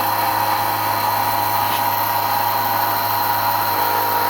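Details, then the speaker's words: 1999 Nissan Frontier SE VG33E turbo, first fuel system start-up with Fuelab pump and custom tank sump: steady even electric whine, loading down slightly at 30 psi as regulator is raised toward 43.5 psi; normal pump operation. "okay so now we're at 30 psi you notice the pump sounds like it's loading down a little bit"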